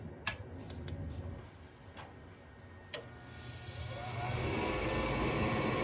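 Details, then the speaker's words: Gas furnace with no heat, where the pilot solenoid had stuck slightly open, turned on again: sharp irregular spark igniter ticks, then a rising rush as the small pilot lights and the burners catch; a normal light-off. "Okay, I see it coming on. Yep, just go this way. See? You see how it was like a little pilot it created?"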